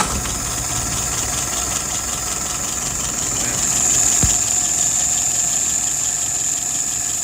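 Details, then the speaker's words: Rebuilt and adjusted WO 636SA carburetor tested on a flathead, no leaks: steady, even idle about 680 rpm, soft regular patter, no misses, knocks or stumbles; fuel pressure a little over 2.5, vacuum 23, dwell about 42; running clean. "Still nice and dry. That's good. All right, let's look at some numbers. Final RPM, about 680."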